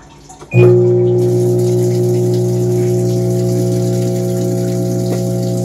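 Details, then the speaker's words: Panasonic washing machine at power-on, before any cycle is started: steady drain pump hum as water rushes in, so the inlet valve and drain run together because of shorted triacs on the control board. "Sabihin pagka-on diretso agad pasok ng tubig. Tapos labas. Sabay yung tubig."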